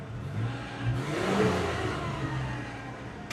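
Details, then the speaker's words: Gen 1 Mitsubishi Montero after replacing the MAF, TPS, coil, ICM, distributor, fuel pressure regulator and coolant temp sensor: a raised, even warm-up high idle like a choke setting, as intended, running clean. "So, she kicks on and she does a high idle at first, like a almost like a choke setting, and it is supposed to do that."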